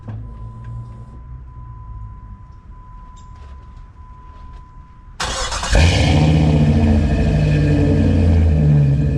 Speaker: I'm gonna set the tripod up so you guys can actually hear this thing start up, because it's a beast. It's a 4.7 V8. These things sound really cool.